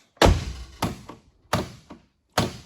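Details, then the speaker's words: 1978 Mercedes 450 SEL outer door handle pulled: four hollow thunks as it snaps back without releasing the latch, on all four doors; handle slider slid out to its end, handles need adjustment. "we're adjusting door handles as you see there seems to be a malfunction yeah on all four doors of the car"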